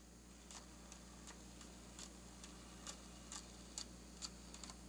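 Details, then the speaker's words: Lemax Skeleton Jamboree tabletop accent with the drive gear split open. The shaft spins inside the broken gear, giving uneven clicks and light clunks about twice a second over a low motor hum as the gear slips on its shaft. "I can see the silver shaft spinning inside the gear since the gear is split open I said being a circle crimped onto the shaft has now got a gap and the shaft is spinning inside"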